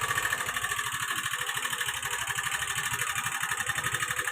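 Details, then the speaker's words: Vehicle started to demonstrate an abnormal noise: an uneven, pulsing chuff with a high ringing rattle above it. The owner does not know what is wrong, and the source is unclear. "ती गाडी चालू कर गाडी चालू करा की आ बघा की आता आवाज कसा येतोय भावा बहिणींनो तुम्हाला दाखवते गाडीचा"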